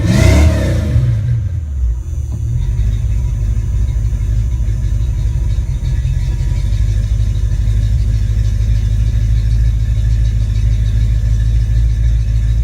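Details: Ford Mustang 5.0 mass air V8 running a rebuilt A9L computer under test: brief rev, then steady held note smoothing into even idle with no misses, stumbles or breakups.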